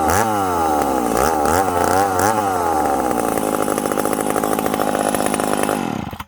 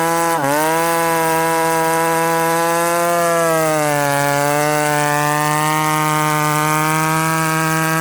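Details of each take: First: Ported McCulloch Super Pro 70 chainsaw, retested after winter porting: crisp high revs and good throttle response on blips, then pitch sags and stays lower when buried in the cut; lacks pull, cause not confirmed. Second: Ported McCulloch Super Pro 70 (70cc) chainsaw, retested after winter port work: clean high-pitched scream holding at top revs with slight dip and recovery; normal high-rpm running.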